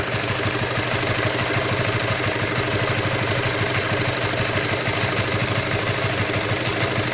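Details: Stock Honda All New CB150R at cold idle: rough, rapid tapping about three a second, steady over the engine beat, only when cold; knock from unknown source.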